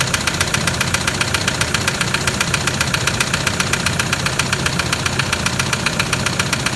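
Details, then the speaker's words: 2007 Toyota Land Cruiser Prado 120 1KD diesel, 230k, just started: a steady even knock about 150 times a minute through the idle; a bad diesel knock, blocked oil pickup suspected, not yet confirmed. "So let's start the engine for now. Let's have a listen to it. Oh hell! That's bad."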